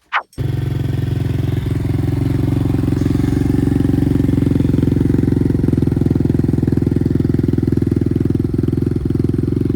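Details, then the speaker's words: Apollo RXF 125 dirt bike idling with the new quieter exhaust, reading 61–62 dB, lower than the old pipe: steady, even low thrum with an unbroken pulse and no misses or rattles; healthy idle. "Bon, déjà, au ralenti, on est à 61, 62. On est un peu plus bas."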